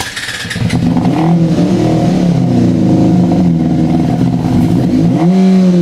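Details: Yamaha FZ6 no-start: fires on starter fluid, surges unevenly with revs rising and sagging as throttle is feathered, never settling to clean idle, then dies; dies immediately if throttle applied.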